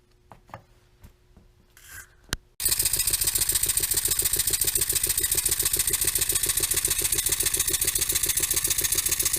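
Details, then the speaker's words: Finished double-acting Stuart model steam engine running on air: steady chuffing about three to four beats a second with a light rod knock in the rhythm. "well the engine is finished together running runs reasonably well as you can probably hear it has a little bit of a rod knock"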